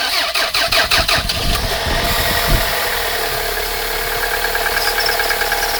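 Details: Toyota 5S-FE engine, cold start: starter churns briefly, engine fires and settles into a cold idle with a light, uneven knock over it, more noticeable in frosty weather; source unclear.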